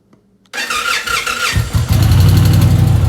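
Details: 2021 Indian Challenger that earlier would not crank, starting after a power cycle: short crank, then the V-twin catches cleanly and settles into a steady loping idle. Normal start.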